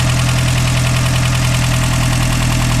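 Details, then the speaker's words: Toyota 22RE or 3VZ engine warm, about 170 degrees, at idle: fast, even light ticking over the hum; owner says valves need adjusting, suspected valve tick, not confirmed. "yes i know i need to adjust my valves i'm on it"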